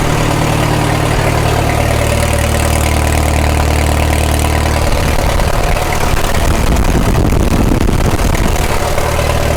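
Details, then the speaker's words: 1936 Caterpillar Twenty-Two tractor on gasoline, run after sitting for years and after a non-sparking magneto: a slow, steady chug at low throttle, which is as slow as it runs, firing evenly with no knocks or misses, and 35 PSI oil pressure. Normal idle. "Now we're running 35 PSI oil. That's good. That's as slow as it runs. That's low throttle right there."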